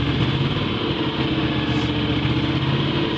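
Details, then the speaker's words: Kohler 20HP V-Twin engine on a scrap-yard Miller Legend 302 welder/generator, after replacing bad capacitor C41 on PC1, fires right up with a steady even drone and firm low thrum, no knocks or misses; voltage 12.9, normal running. "Um fires right up. Apparently voltage is normal."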